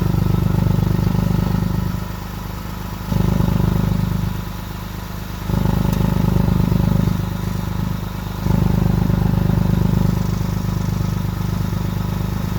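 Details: 2006 Lexus GS300 dual exhaust, driving: loud raspy blatting that swells each time the throttle opens and eases between pulls, from a bad exhaust leak later repaired by welding.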